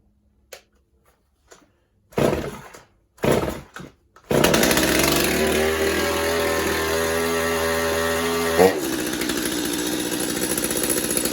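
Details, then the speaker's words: Stihl MS250 chainsaw test run with fuel and good compression: a few starter pulls, then it catches and holds a steady, even two-stroke buzz with no stumbling. Normal running. "So we got fuel. Sounds like we got fuel. Should be enough to get it started and make sure it's running. Good compression."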